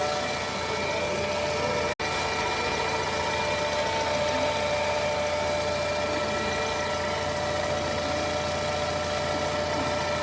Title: Weird whining sound on low revs and idle. 2014 scirocco 1.4 tsi twincharge. What could it be?